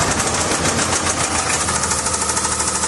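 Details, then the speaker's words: 2016 Land Rover LR4 supercharged V6: hard, rapid diesel-like metallic knocking at every start-up, sold as just lifters; teardown found a spun connecting rod bearing, another destroyed bearing and damaged crankshaft journals. "Because this thing for sure sounded like a diesel every time it would start. It sounded really bad."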